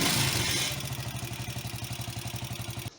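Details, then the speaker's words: 150 cc Spark motorcycle after cylinder head replacement, previously backfiring through the exhaust and misfiring due to a burnt intake valve seat; now a steady even single-cylinder idle with no pops or missed strokes, then shut off; fixed. "получається що що він заводиться хорошо робить їде все добре то естьсть вже не стріляє в хлопну і не троїть не давиться"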